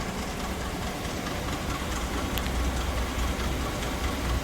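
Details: 2018 Chevy Silverado 5.3, runs rough with cylinder 2 misfire: loose, uneven clacking about two per second at idle, heard underneath rather than up top; owner wonders about a cracked flex plate, unconfirmed.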